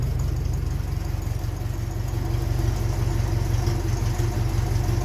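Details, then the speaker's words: Ferguson 35 TVO tractor engine at idle as petrol starts flowing toward the carb: steady slightly uneven low idle with odd faint pop in the exhaust from petrol hitting a hot exhaust. "hear the odd little pop there. She's starting to get a taste of petrol through a hot exhaust."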